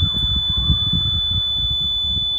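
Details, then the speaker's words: 12 GHz satellite dish aimed at the sun, with the LNB downconverting to a cheap signal strength meter. The meter's steady, piercing beep over low thumps indicates a strong signal. "you can see on the signal meter and hear what's happening so I'll move the dish off of that and back on"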